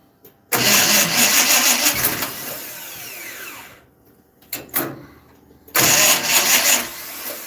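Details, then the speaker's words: Dirt track race car engine with oil pressure problem, timing being adjusted via distributor: repeated harsh starter cranking bursts with pauses, never catches; cranking no-start, rebuilt junkyard starter suspected. "Might need a new starter, dude. Well, this starter is a junkyard special that's been rebuilt 35,000 times."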